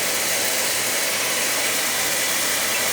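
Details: Oil-fired boiler that ran out of oil, after refilling and bleeding air from the line: constant, even hissing roar with no pulsing or sputter. Burner firing steadily, normal operation.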